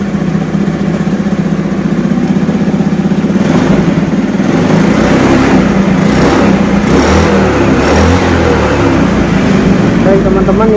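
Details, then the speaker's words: Honda Beat carburetor scooter, dead electrics, after replacing faulty regulator/rectifier: single-cylinder engine fires up and runs steadily with light revs, no misfires; normal running. "Berhasil, sepeda motor sudah menyala kembali, dan kami dapat memastikan bahwa regulatorlah yang mengalami kerusakan atau gangguan. Ini berjalan dengan lancar."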